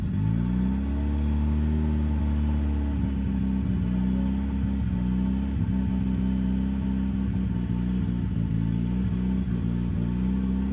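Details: CA18DET-swapped JDM Mazda Miata: low hum, sagging speed early, then hunting and wavering without settling; rough, unstable idle.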